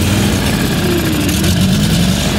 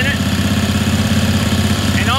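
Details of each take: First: Ingersoll 448 lawn tractor, Briggs & Stratton 18hp Vanguard V-twin, after replacing the faulty choke lever assembly: starts every time, brief rev then steady even idle with no stumbling or surging. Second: Ingersoll 448 lawn tractor, Briggs & Stratton 18hp Vanguard V-twin: fitting the OEM Briggs air filter makes it bog and run rough and lumpy, believed due to that filter being more restrictive; runs normally without it or with a STENS filter.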